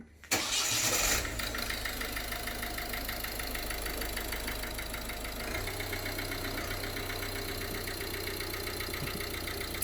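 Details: 2015 Ford Connect 1.8 diesel, in for fuel filter and timing belt, knock traced per cylinder with directional and piezo microphones plus injector pulse on oscilloscope: starts after short crank, sharp evenly repeating tap over diesel clatter; piston knock.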